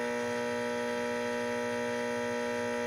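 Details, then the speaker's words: Late-1965 Epiphone EA-32RVT Comet tube guitar amp idling, volume and reverb at 10, reverb off: steady low buzz with stacked even tones, hum from poor grounding scheme, bias resistor and bypass capacitor grounded at transformer center tap. "but you can probably hear that there's some noise right there just at idle. I mean, granted, we're at 10 and we're at 10 on the reverb, but it's not on."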